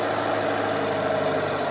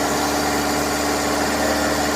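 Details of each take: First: Daihatsu Taruna/Feroza carburettor being adjusted: steady idle hum drops lower when primary throat is about 50% covered, showing primary circuit running too rich. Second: Daihatsu Taruna/Feroza carburettor after making the primary power-jet piston work: even, steady idle, smooth unbroken hum, no hunting or misses; primary no longer over-fuelling.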